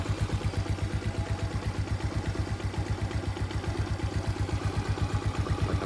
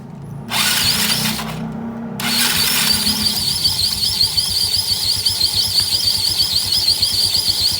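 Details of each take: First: Yamaha Mio scooter idling smooth and even after CVT service; the earlier rubbing "cip cip" noise from the CVT, thought to be the rubber parts, is gone, with no rattle or scraping from the belt drive. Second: Yamaha Mio scooter with CVT cover removed, engine idling: rapid, high, steady chirp repeating several times a second, clearly from the rear pulley area rather than the front; worn, dry CVT rear pulley bearing.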